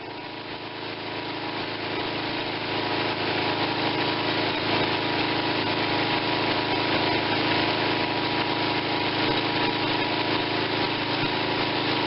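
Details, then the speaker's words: Tecumseh 5.5 hp engine bought with a stuck valve and no compression, carburetor seeming fine: a steady, even putter at fast idle with no knocks, misses or surging, and it runs smooth; owner plans a head gasket and a compression retest; normal running. "but she's running she runs smooth so we can only make it better from here"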